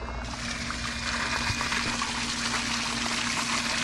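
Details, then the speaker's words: Zoeller M53 sump pump (40–60 gal/min) run during simulated power outage from a 750 W inverter on a new 12 V 100 Ah battery; steady electrical hum under rushing water as the inverter labours at full load, works but won't last long. "looks like it's working pretty good but can you hear that can you hear that inverter it's drawing a full load load it definitely worked but it won't work for very long"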